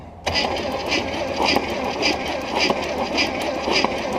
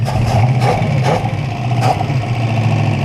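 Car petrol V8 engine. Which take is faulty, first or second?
first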